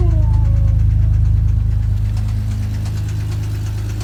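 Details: Toyota 1JZ-GE idling steadily with a hard, even knock about three to four times a second over a low rumble; a spun rod bearing.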